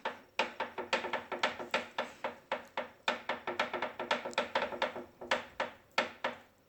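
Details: Bowflex VeloCore bike, about 175 minutes of use: sharp dry clicks four or five times a second keep time with the pedals. No noise when the flywheel is turned by hand.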